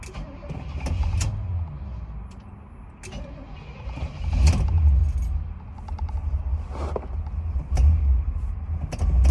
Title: Cranking and hard starting again